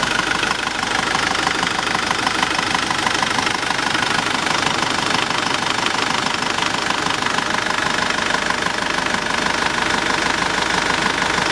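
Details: Nissan Navara YD25 diesel after rebuild, 30 minutes after first start; even diesel clatter at idle, steady tick about three times a second, no stumbling or knocks: normal idle.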